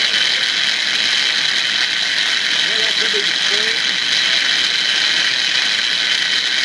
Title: Starter Motor hear the grinding noise after start up